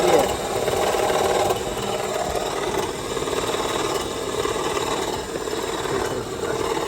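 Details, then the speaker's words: 2007 Honda CR-V, engine running with AC switched on: harsh continuous scraping grind with no clear rhythm, whole engine vibrating, felt through alternator and AC clutch; noise began before AC engaged, first suspected clutch bearing; compressor internals breaking apart. "Well, we know it's it, but holy moly, there's a vibration case. The whole engine's vibrating."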